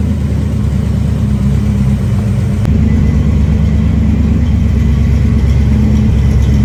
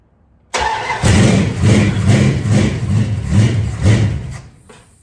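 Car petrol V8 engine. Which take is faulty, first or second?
second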